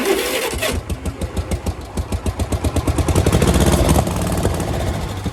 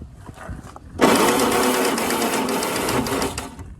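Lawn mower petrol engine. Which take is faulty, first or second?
second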